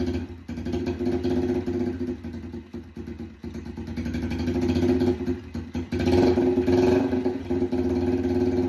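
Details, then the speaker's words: Yamaha TTR 90 after top-end rebuild, first run, warmed a minute or two, no exhaust fitted: loud, choppy single-cylinder with uneven pops and rasp as revs swell. Runs fairly well, only slight smoke at idle; backfiring through the open pipe. "She runs pretty good. She's not smoking at idle. Just a tiny bit of smoke. I don't love it. Um, it's obviously backfiring because there's no um exhaust in there. It's just basically a straight pi"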